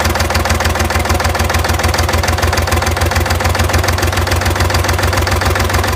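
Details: Engine with hard starting and white smoke; idle with a firm, regular internal knock at roughly three per second over the engine note; engine knock at idle, cause not pinned down.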